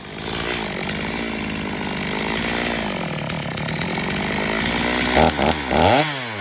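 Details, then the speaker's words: Stihl MS250 chainsaw test cutting wood after carb repair, tuned pretty rich for break-in, compression possibly a little low: strong high revs through the cut, climbs cleanly when freed, slightly rich burble; full power, normal cutting. "so we got the ms250 tested um I've got it tuned pretty rich and he's definitely going to have to bring it back a couple of times as it breaks in"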